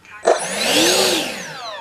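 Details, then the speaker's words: E-Flite 64mm F-15 RC jet in AS3X mode, throttle cut off then briefly advanced to activate AS3X: short smooth electric ducted fan whine sweeps up and winds down, clean with no rattle. Normal spool-up. "I think you have to have the motor running yep so I'm gonna back it off take my throne throne cut off give it a little boost"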